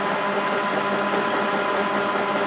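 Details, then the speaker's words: TDCi LT230 transfer box on a test bench after a gear upgrade, full of oil, run about 1.5 hours, not overly hot: smooth, even gear hum with no knocks, though a front bearing is somewhat noisy; running normally. "So I'm quite happy with that. And it's not all overly noisy. When you listen to it here, it's pretty damn good actually."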